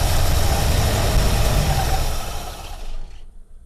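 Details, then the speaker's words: 1948 Buick Roadmaster Model 79 wagon, 320 cu in Dynaflash straight-eight, dry engine, about 1.5 gallons in tank: even cranking about three turns a second, never fires; fuel level too low for pickup, fuel starvation. "it's not i don't think it's gonna pick it up we're gonna have to put at least a couple of gallons in there"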